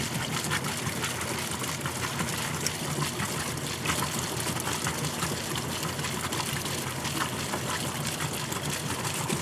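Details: Kenmore washer that stopped halfway through the wash cycle after sitting about 6 months, tested with the broken lid switch bypassed: steady gurgling rush of water over a humming pump, no stalling or grinding; draining normally.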